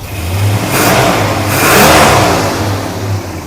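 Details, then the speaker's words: Dodge Super Bee with a rebuilt 383 V8, no air cleaner yet: a rev picks up cleanly and falls back without misses or knocks. Oil pressure is about 35–40 psi; it is running well. "Pretty much running good. We have like 35, 40 PSI of oil."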